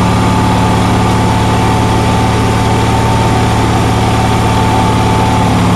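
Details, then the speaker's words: Onan generator on a cold day, with a steady, fast, even drone and a constant hum; outlets read 160–170 volts and the stator about 18 volts, and the owner thinks the idle is too fast and won't adjust lower. "as you can see i'm getting nearly 170 volts 160 off one plug 170 off the other plug so i think this is idling at idle way way too fast"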